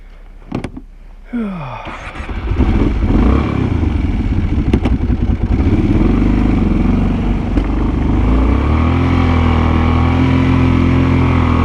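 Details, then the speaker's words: Kawasaki Brute Force 750 V-twin ATV plowing about 14 inches of heavy wet snow: labouring exhaust with uneven pops, backfiring and bogging; owner suspects fuel getting into the pipe, replaced fuel valve did not fix it. "I don't know if you can hear that backfire but that's what I'm dealing with uh it's got to be fuel getting into the pipe and detonating but it kind of bogs down"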